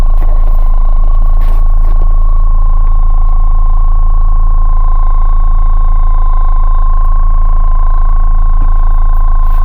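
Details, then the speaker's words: Ford Focus car audio: steady high-pitched whine around 1 kHz through the highs and mids over a low hum despite many good grounds. Alternator whine; RCA cables or bad grounds suspected, not confirmed. "Like on this Ford Focus I have so many grounds everywhere, everything's grounded really good, and I still have an alternator whine."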